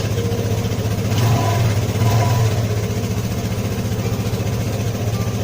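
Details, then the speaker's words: Vespa Matic LX 150 after fitting a new starter dynamo (old starter was weak) and reconnecting the battery: starts and idles with a low, even putter, regular firing and no misses. Normal idle. "Oke, bagian aki udah kita pasang dan sekarang coba kita hidupkan ya. Kita start. Oke, normal ya."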